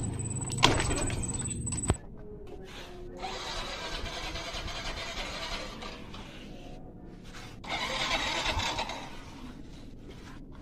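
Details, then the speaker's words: Yamaha Mio M3 fuel-injected scooter that stalls, lacks power and won't idle: repeated starter cranking bursts without the engine catching straight away, a hard start. "when I start it, I don't want it to stall, or when I crank it, I want it to start, but this motorbike won't start straight away, OK, guys, okay, let's test it, we'll start it using the crank"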